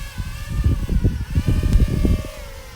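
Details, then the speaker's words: JME drone carrying an Insta360 One X camera: buzzy motor drone rising and dipping with throttle, labored, motors straining to hold a hover under too much weight. "it actually is working I mean it's not like it's not working it's actually working but it's straining you can hear those motor straining pretty good"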